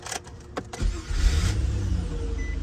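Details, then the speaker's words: 2003 Nissan Maxima 3.5 after replacing the weak starter that caused intermittent no-start: brief quick strong crank, engine catches and settles into steady low idle; normal crank and start. "and strong too sounds pretty strong again oh pretty good guys"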